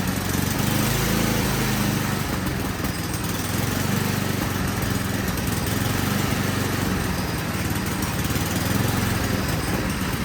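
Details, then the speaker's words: Ariens Classic 8526 snow blower with a Tecumseh single-cylinder engine: starts and runs with an uneven, hunting beat but won't settle to idle; the carburetor adjustments are to be checked next, cause not confirmed. "I'm not sure what horsepower it is but it starts it will run but it is not idling"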